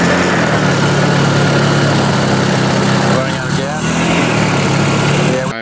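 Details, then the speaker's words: Small Honda engine running on compressed woodgas from a compressor-filled tank: steady drone wavers and stumbles, then dies within seconds as the stored gas runs out; engine stalling from fuel starvation. "let's see if we can go ahead and make some actually do something useful trying something we run out of gas"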